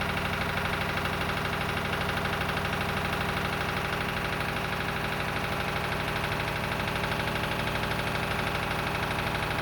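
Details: Lister emergency air-compressor diesel on the M/V Steve Irwin warming up before loading: steady chuffing about three beats a second, no miss or knock; sounding good, a normal idle.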